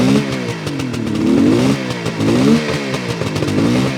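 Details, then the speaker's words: 1972 Suzuki GT550J two-stroke, engine rebuilt with new seals, 15,000 miles probably original: crisp buzz blipped up and down a few times, settling back cleanly without misfires or rattles; healthy normal idle. "sounds really good. It's got 15,000 miles on the clock, which is probably original."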